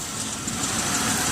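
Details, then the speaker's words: 2006 Chevy Uplander wheelchair-accessible van, 175k miles: a steady, even idle hum with a constant airy hiss and no misses, knocks or surging, and no visible leaks. Normal idle. "let's listen to it run listen to it run s just fine there's no visible leaks up top idle smoothly"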